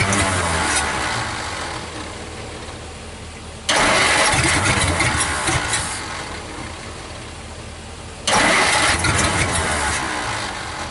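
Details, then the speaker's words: 1949 Dodge Business Coupe old six, first start in 20 years, run without a radiator: idles with two loud restart bursts over an uneven, stumbling, skipping beat; misfire, owner suspects some stuck valves. "okay she might be all right she sounds like she's might be skipping a little bit but uh there's probably some valves stuck"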